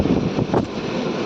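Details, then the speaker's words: Window AC with a noise problem, tested live after several technicians could not find the cause: a steady airy fan roar with a rough, uneven rasp riding on it. Blower housing noise, housing likely needs replacing. "Finally आ चुके हमलोग को live दिखा रहा हूं आवाज हो रही है"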